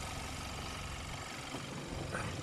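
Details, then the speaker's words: 2014 Hyundai Santa Fe, 2.0 turbo, 4x4, idling under an open hood during a pre-purchase inspection: a steady, smooth low hum with a light whoosh, no knocking or ticking, no oil leaks. Engine healthy. "Sounds good so far. I'm going to go ahead and say that the engine has been checked."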